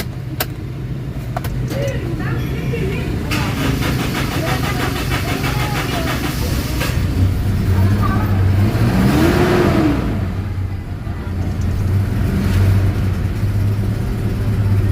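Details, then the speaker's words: Toyota Innova common-rail diesel, after fixing the P0351 crank-no-start fuel supply fault: cranks, catches and settles to a steady idle, one clean rev and back down; starts and runs, common rail still to be bled. "Okay, so ang gawin natin, i-start natin yung makina so para malaman natin kung okay na bigyan natin."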